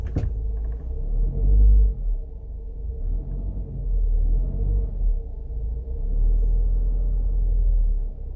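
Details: Honda CR-V first generation, in the cabin: deep droning rumble rising and falling over a steady low hum, caused by incorrect distributor ignition timing.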